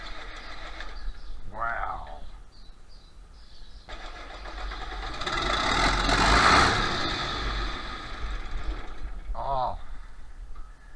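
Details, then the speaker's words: 1966 John Deere 4020 diesel tractor with newly installed injection pump, injectors bled, battery charged overnight: starter churns steadily for several seconds and it never catches. Injection pump timed 180 degrees out, so it won't start. "I think I found the problem right there's the TDC mark and uh right there's the uh injection pump marks timing marks they're lined up that's uh 180 degrees out that's why it's not running"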